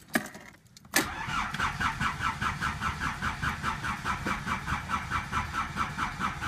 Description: Old rusty Škoda Felicia 1.3 Lxi with some wiring and alternator problem trying to start.